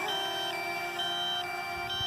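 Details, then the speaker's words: Drone controller at 5% battery while flying: repeating high electronic chirp about once a second over steady tone; critically low battery alarm before automatic landing. "It's going to take a while, but... Critically low battery. Yep, 5%."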